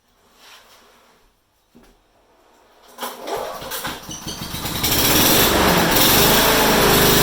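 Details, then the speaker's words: Honda HRU196 mower after carburetor cleaning, reassembly and a fix for a long-standing fuel restriction: catches after a couple of pulls and climbs quickly to a strong, steady high rev with no stumbling; runs better and harder than in a long time. "so there we go you know that sounded really nice better than has for a long time and it ran up high it actually ran harder than what I thought"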